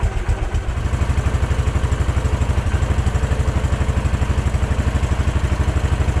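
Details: Case 444 tractor revived after sitting forgotten behind a barn, fed from a temporary jerry-can fuel line: single cylinder thumping evenly at fast idle with a firm, regular beat and no misses or clatter; normal running.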